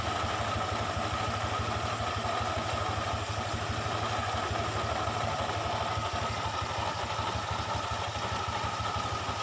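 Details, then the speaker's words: Honda Vario 125 scooter idling: harsh, gritty rasp from the belt drive, louder at the rear; the clutch bowl is still good, and the CVT pulley bearing appears to be worn. "Ayo kita buka dulu kulitnya nih kayaknya laher pully nya nih yang kena"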